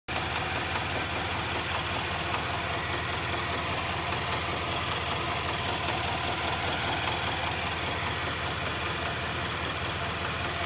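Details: 2018 Nissan Titan 5.6L V8 at idle, 5000 miles, knocking began after an oil change: loud, fairly regular ticking knock over a bright, steady engine hum.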